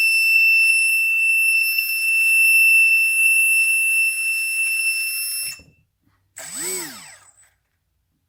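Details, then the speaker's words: HobbyKing EZIO 800 electric RC glider motor at only 25–30% throttle on a 2-cell battery: shrill whine, then a long warbling squeak and grinding stutter; the fault persists with another battery, so a defective ESC is suspected. "was a long squeak and it was only a 25 30 percent throttle so i think we have a bad escape"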